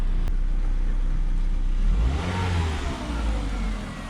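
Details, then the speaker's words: Ford Focus with about 180 on it, bought cheap: engine revs then settles with loud, raw open rumble under load from exhaust broken at the rear, needing new hangers; broken exhaust. "exhaust is broken in the back we'll have to make a hanger for both of them here to try to park it on some high ground"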